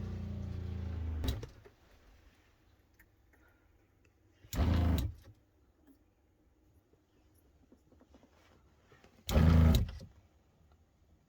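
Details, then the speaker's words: Motorhome 12 V water pump, 14 V supply, taps closed: small pump buzzes in short bursts every few seconds, switching on and off instead of holding pressure; a small leak can drop line pressure from 50 to 40 psi: short-cycling. "as you can see see the pump is coming on and off this should not be the case it should hold pressure"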